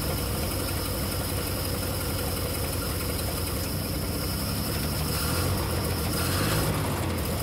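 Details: 1950 DeSoto S14 flathead six, long-stored, running on gas fed straight into the carburetor with no fuel pump yet, an exhaust valve suspected of sticking: low, slightly uneven chugging idle with no clear knock or tick.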